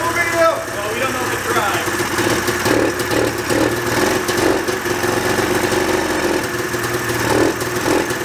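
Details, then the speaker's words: 1987 Yamaha Exciter 570 two-stroke snowmobile, first run after sitting 13 years, fresh gas: runs fast and high, racing without dropping to idle and needing the kill switch, because the throttle cables were pulled too tight. "ables were pulled really tight so the actual like needle in the car wasn't going down all of the way so that's why i had to run it with the kill switch because it would rev out and i would have to kill it because it wanted to go a bajillion miles an hour"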